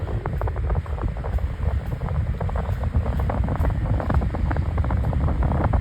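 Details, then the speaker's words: 16-inch Arctic Aire oscillating fan on high speed: loud rushing air with steady rhythmic thump and wobble each turn; fan out of balance due to bent blade. "Not exactly though, but it's really out of balance. The blade is kind of bent for some reason."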